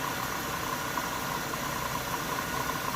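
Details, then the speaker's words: 1998 Chevy Venture van at idle: thin, steady high-pitched squeal over the idle hiss. The owner first suspected water pump bearings, but spraying PB Blaster on the belt shows the belt is the source; the tensioner is suspected weak. Belt squeak. "i'm gonna spray the belt with some pb blaster here and yeah it's the belt that's the belt making that little freaking fountain"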